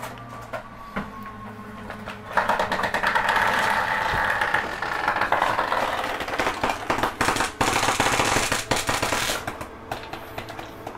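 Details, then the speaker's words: Catalina 271RKS travel trailer slide-out retracting; uneven crackling and popping for several seconds from the rubber seals dragging, bottom may come in before the top, which is normal, nothing mechanically wrong. "just rubber moving [Applause] sometimes the bottom will come in before the top that's normal"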